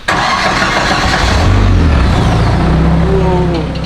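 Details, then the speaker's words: K20Z3 turbo K-series swapped FRS, first start, idle set by throttle body idle screw (no idle control valve): catches right away, quiet steady low idle, even rumble, no knocks; sounds good. "wow I cannot get over how quiet it is I know it'll definitely get louder with some RPM in it but all right she's running she sounds good"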